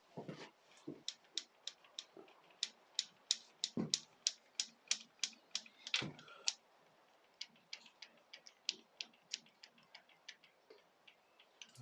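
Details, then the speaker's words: Yamaha FZR 600 Genesis, starter-side casing off while chasing a suspected timing chain rattle, crank turned by hand: irregular light metallic clicks about three a second from electric start drive teeth meshing; nothing worn, normal. "are some teeth bashing together yeah so that's your electric start drive from your electric start in there that shaft there obviously goes in there and that picks up the electric start drive"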